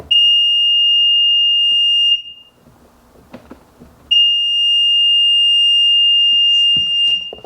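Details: Sea-Doo GTX DI 951 after blowing out the connector with compressed air: two long steady high-pitched beeps about two seconds each; wiggling wires still triggers the warning, intermittent wiring fault persists.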